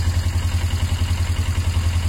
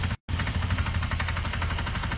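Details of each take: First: Motorcycle engine owner thought had a knocking sound, idling steadily with an even low thump of about eight pulses a second, no misses; revs fine, not lacking power, may just need fresh oil. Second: Rapid, steady ticking clatter through the engine at idle, rising with revs; engine revs fine without lacking power, and the owner thinks it may just need fresh oil. Cause unknown.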